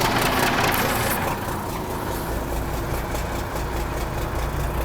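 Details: 1963 Mack F600 diesel fired after the starter valve struggled and a long crank, oil pressure slow to build through the big filter: revs ease into a steady, even idle with turbo whistle, no knocks or misses; normal idle.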